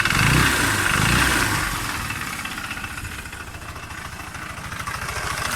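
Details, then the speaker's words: 150cc scooter engine knocking near the generator side at idle: a steady knock at about four beats a second, keeping time with the engine. "короче стучи двигатель районе генератора сейчас я заведу"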